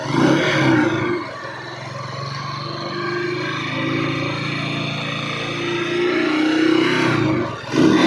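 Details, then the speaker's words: Honda TMX motorcycle single-cylinder idling: uneven with a loose clattering, rattling knock on every beat, louder than normal, along with hard starting; internal wear, engine to be torn down and overhauled. "Okay guys ah napakaingay niya guys makaldag na may kalampag na malagitik siya mga idol ayan napakaingay"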